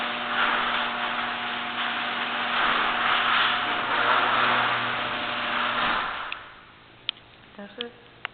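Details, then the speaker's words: Genie screw-drive garage door opener after greasing the hinges, screw drive and spring and moving the pull bar back: steady motor hum for about six seconds, no squeal or grinding, then a stop with light clicks. Normal operation after the fix. "I greased all the hinges, the screwdriver, the spring, and now it sounds a lot better."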